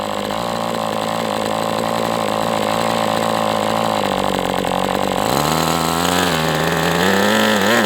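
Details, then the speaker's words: MDS 68 FS Pro glow engine on a break-in run: steady high buzz idles reliably with slight wavering rise; a little rich on the low end but not too rich. "But look, I mean, it's idling. It may not have the best transition because it's a little rich, but I mean, it can't be too rich or it wouldn't even do this."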